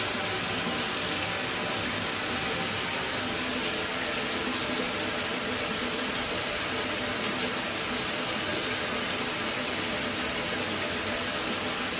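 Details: Mira shower whose flow stopped and started intermittently, tested after replacing the solenoid valve: steady even hiss of water flowing with no surging or cutting out; normal water flow.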